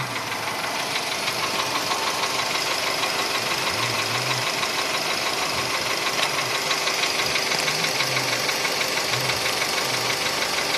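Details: VW Polo Sedan engine at idle, now 67,000 km: a sharp, even knock about three per second; it appeared faintly around 61–62,000 km and has sharply intensified; this mechanical fault is still undiagnosed.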